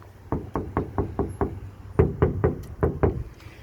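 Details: Ford Flex door before sound deadener install: about eleven knuckle taps, each a hollow, boomy thump with a ringing tail; undamped door skin lacking deadener.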